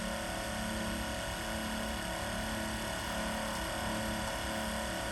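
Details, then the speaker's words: X-ION MAX RO reverse-osmosis unit with the waste control valve being turned down to raise back pressure: steady, even pump hum and constant water hiss, no surging or rattles, as the pumps load up; normal operation. "But as I turn this valve down, you'll hear them start to load up. And what you'll see is this float valve will start going down, this will start going up, and the pumps will start working harder."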